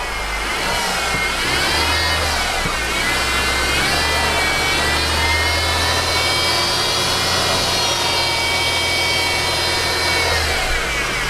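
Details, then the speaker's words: 2013 Mercedes C250 running with hood open, revved; piercing dental-drill-like whine rising and falling with revs, not timing chain but a failing idler pulley bearing in the belt drive. "so we heard the noise right okay that wine guys it sounds like a dental you know that machine"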